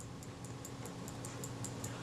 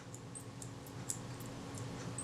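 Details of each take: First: Kodak Retina Reflex III camera shutter after servicing, cleaning and lubrication (moly paste on detent spring pin that caused friction): light, even clicks about five a second, no squeak, now smooth and free running. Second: Kodak Retina Reflex III camera shutter worked by hand gives faint high squeaks: the pin acting against the detent spring has too much friction, possibly from a too-tight or bent spring; fixed with a spot of moly paste.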